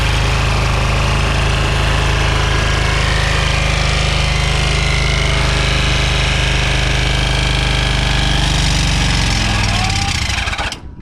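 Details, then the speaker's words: Scrap engine deliberately run dry of oil to try throwing a rod: harsh rattling clatter at a steady fast pace, then abruptly slows and stops dead; seized up, no rod thrown, tight spot when later spun by hand. "Nothing. Just seized up. No rod throwing."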